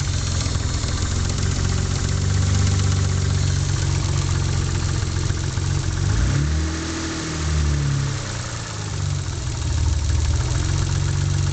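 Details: Mitsubishi 3000GT at idle: uneven low knocking, a few per second, dipping briefly mid-clip; owner suspects a spun bearing, unconfirmed.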